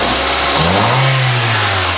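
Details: 2004 Honda Civic after repair of a misfire caused by leaking, badly seated valves (head removed and valves repaired) and wrongly fitted injectors; quick clean rev blip rising and falling smoothly with no stumble, popping or misfire, now healthy.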